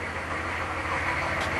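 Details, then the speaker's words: Just after a cold start, block heater plugged in since morning, above freezing: steady, harsh metallic clatter over a low throb; rattle source unclear. "Oh, oh, oh, oh, oh. What a friggin' rattle that was."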